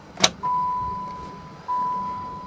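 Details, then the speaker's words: Chrysler van not started since November 2006: after a click, a thin steady whine switches on, drops out briefly, then returns at the same pitch; fuel pump priming normally. "we don't know there's any gas but I hear it running"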